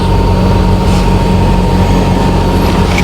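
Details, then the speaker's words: Car exhaust pipe after DIY welding repair, engine idling in neutral: even idle with steady low rumble, no puffing or ticking at the welded pipe; muffler sealed, no exhaust leak. "Pakinggan natin kung may singaw. Yan yung hininang natin guys eh. Magandang ko kung may singaw siya. Wala naman guys."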